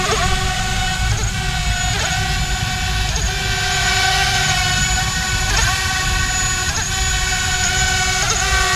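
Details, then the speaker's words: ArduCopter 6-inch race quad during roll autotune: buzzing motor drone with a steady vibrating hum, pulsing as angle P oscillates. This is frame resonance, to be eliminated with the second harmonic notch filter. "you could just hear the the frame resonance at that point just hear that sort of vibrating noise"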